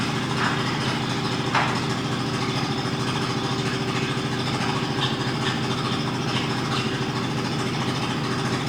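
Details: Mazda RX-8 rotary, hard cranking with no start: steady, even cranking whir that never catches. Pressing the gas while cranking changes the tone and bogs it slightly; owner suspects it needs plugs or isn't getting enough fuel.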